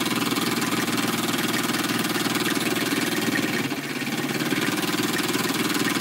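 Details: Small model steam engine, warmed up, running: quick even chuffing at a steady beat, no knocks or misses; runs smoothly, normal.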